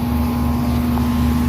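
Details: 2004 Lennox condenser after replacing the oil-leaking outdoor fan motor, four-wire motor wired as three-wire: even steady hum, smooth fan whoosh with some wind; normal running after repair.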